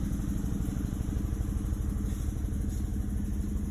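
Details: Chevrolet Malibu, code P0300, cylinders 2 and 3 misfiring, compression 180 psi passed, before coil pack replacement: uneven lumpy idle skipping about three times a second; misfire fixed by replacing coil pack.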